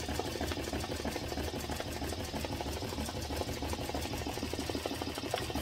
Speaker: and it sounds good sounds really good right now you don't hear a popping sound it's usually you'll hear a poppy sound like a Snapple cap